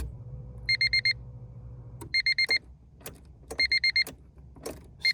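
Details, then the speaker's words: Honda Civic EF hatch race car, bare shell with a rebuilt, swapped-in D16Z6, on its first start attempt: the key gives only repeating chime beeps and clicks, with no starter whir. There is still no crank with the clutch safety switch pressed by hand, and the cause is unknown; fuses are next to check. "All right, I'mma have to crawl under the dash to push the clutch safety switch by hand and turn the key to see if that starts it because it sounds like we're not getting anything."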